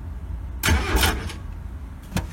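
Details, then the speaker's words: Starter motor wire touched to positive while the relay is already energized: short burst of starter whirring under a second, then a single sharp click; starter engages normally. "so the relay is already energized then if i just touch the positive end of the uh starter motor wire in there"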